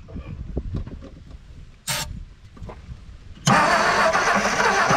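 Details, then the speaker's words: 1959 Edsel Ranger not run in 30+ years, with a new starter, coil and starter wire, cranking on a fuel prime. Slow, uneven starter churning with faint chuffs, then a sudden roar as it catches. "hopefully uh with a little bit of fuel in it she'll crank so hit it old man"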